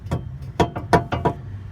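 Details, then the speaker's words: 2008 Mazdaspeed3 with new suspension, heard inside over bumps: short sharp metallic clunks, about six in two seconds, reproduced by knocking the sway bar against a nearby bolt; sound slightly deadened with bushings bolted up. "A little more deadened because the bushings and everything was all um bolted up together, so it the sound didn't travel as as loosely, but ultimately that was the sound."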